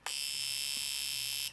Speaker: You can hear that fuel injector. That's what it's supposed to do. And that's that's the purpose of this little tester.